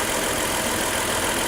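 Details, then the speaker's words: Power steering pump with fluid low and no longer bright red (it takes transmission fluid), engine idling while steering. Harsh, even hiss and whine. Pump noise from low fluid. "this is supposed to be a transmission fluid that noise you're hearing is what happens when the food gets a little low"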